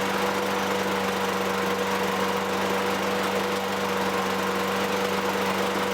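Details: 2003 Toro Recycler 20016 with Tecumseh 6.5 engine, a trash find, runs after carb cleaning and removing litter-like debris from the gas tank. It holds a constant-speed drone at a steady, even pitch with no misses or surging. Minor smoke lightens as it runs.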